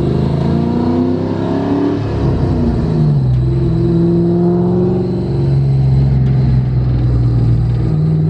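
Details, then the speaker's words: Ford 4.6 modular V8 on test drive after replacing spark plugs and ignition coil to fix a misfire: smooth, even pull, revs rising and easing without stumbles or breaking up; engine running clean and strong. "actually sound really good I don't think it's breaking up"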